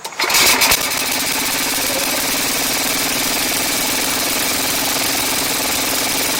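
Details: Ariens Classic 824 two-stage snow blower (model 924550) after ultrasonic carburetor cleaning, started by hand on choke: catches after a brief crank and settles into a steady, even, buzzy run with no misses or surging; normal running.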